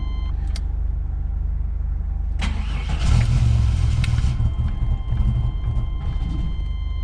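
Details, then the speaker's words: 1993 GMC Typhoon: lumpy, rough idle with irregular pops and bursts, backfiring and dumping a lot of fuel. Ignition timing and plugs are suspected, not confirmed; the starter has also been sticking. "she's not happy all right we'll be back savage some backfiring and hard idle and a lot of dump fuel"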